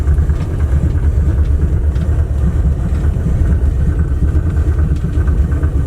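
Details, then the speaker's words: Dodge Aspen with about 90,000 miles, running after 17 years abandoned: low, lumpy, stumbling idle missing on some cylinders; it dies at the slightest throttle. "does not like the slightest bit of throttle I tried it just dies"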